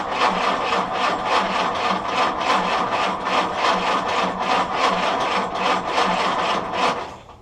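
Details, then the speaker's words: Willys CJ2a L134 Go Devil engine after fitting a Best copper head gasket, cranked with no choke: even rhythmic churning of about three compression pulses a second at steady speed. It turns over cleanly but doesn't fire; water level is good. "so that sounds pretty good still have a good water level going"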